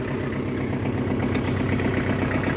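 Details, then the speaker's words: Kubota L4200 diesel tractor after repairs (new ignition, front hub seal, fresh fluids), slight smoke visible; steady, even low diesel thrum at idle with no knocks or misses, normal diesel idle. "ts right up and uh really sounds sounds good ready to work"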